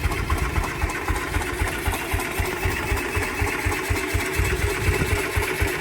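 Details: 1949 Ransomes MG5 crawler tractor, first start after correcting rebuilt magneto fitted about 180 degrees out of phase and adding new fuel; slow steady chuff about four pulses a second, firing evenly with no misses, running healthy.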